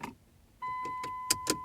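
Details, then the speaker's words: 2009 Dodge Journey that won't start with key or fob, battery fine and radio working: two sharp clicks from behind the gear shift over a steady warning chime while the engine won't crank; owner suspects ignition or neutral issue. "You hear that? There's a clicking sound there behind the gear shift."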